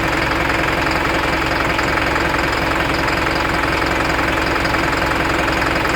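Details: Isuzu NPR diesel at idle, check engine light with DTC P0202 cylinder 2 injector circuit from a loose connection; rough uneven knock about 160 per minute as the injector cuts out: cylinder 2 injector misfire knock.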